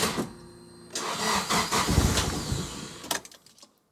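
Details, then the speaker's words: Nissan S15 Silvia after fuel system upgrade with new Aeroflow pumps and Raceworks surge tank: starter churns unevenly a couple of seconds, never catching; crank no start, owner first suspects air in lines, then realises the E85 was never put in the tank. "all right let's go give it a crack hey still got a bit of air in the lines"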